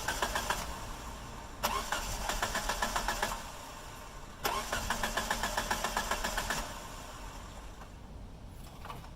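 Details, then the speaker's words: 2G DSM (second-generation) crank with fuel pump unplugged at rear seat to relieve fuel pressure before fuel filter replacement: two cranking bursts pulsing about four times a second, no catch or firing, engine won't fire since no fuel reaches it. "I guess that was a little easier than I thought she didn't even want to fire up"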